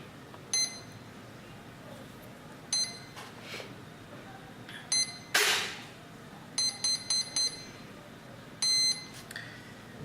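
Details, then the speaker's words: Normal power-up beeps from the mini Talon ESC when connected to the battery during Dragonlink V3 Slim receiver binding: short high-pitched beeps in separate groups, one burst and then a quick triple. "let me turn on connect the mini Talon to the battery you will hear another beeps and that's fine"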